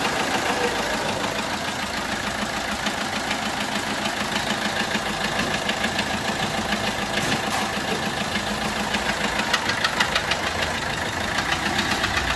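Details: Peugeot 1.3 HDi diesel at idle: a regular ticking puff, about three per second, over the diesel clatter, resembling a leaking injector. The cause is a bent valve not closing fully, causing compression loss.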